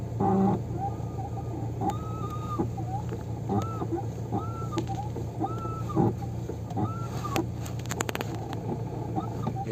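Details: Hyundai Getz clutch pedal before a WD-40 fix: short chirping squeaks, rising then falling, about once a second over a low idle hum, from dry clutch pedal pivots.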